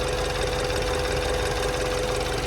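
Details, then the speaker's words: 2015 BMW 428i with N20 engine at idle after an upgraded timing chain tensioner: steady, stable idle with a light, quick, even ticking from the fuel injectors on top and no chain tapping; normal injector tick. "Yeah, definitely less it's not like it's not tapping anymore. So, it's like so much smoother."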